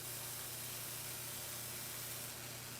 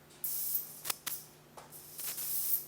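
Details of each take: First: Slayer exciter Tesla coil driven by a bigger NPN power transistor from a bench supply around 20 V with raised current limit: steady hiss over low mains hum from around the power supply; the transistor then fried. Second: Slayer exciter Tesla coil with a bigger NPN bipolar power transistor, supply raised to about 20 V: sharp bursts of high hissing as a grounded wire draws an arc; normal working arc hiss.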